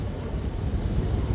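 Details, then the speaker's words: Miyako KAD-927B desk fan after repair (new thermal fuse, 606 bearing replacing bushing, new swing gearbox): steady, even low hum with no rattle or scrape; motor runs and oscillates normally. "Nah, begitu kita klik dia langsung mau nyala dan muter kepalanya geleng-geleng lagi."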